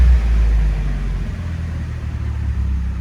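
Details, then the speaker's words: 1999 Nissan Silvia S15 Spec R, SR engine, Blitz muffler exhaust after a throttle blip: deep smooth rumble settling down, no rattles or blowing. Normal, healthy exhaust. "and this sounds good the buffler sounds"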